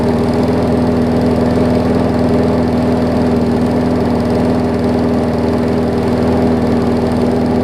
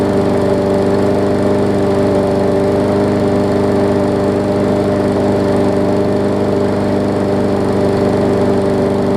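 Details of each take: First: Newer Murray push mower: steady, even single-cylinder chug at a low, lazy speed with no surging; engine runs too slow after governor spring adjustment. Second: Newer Murray push mower, after stretching and cutting the spring: single-cylinder engine holds a steady, even buzz at constant speed with no hunting or surging, normal running speed.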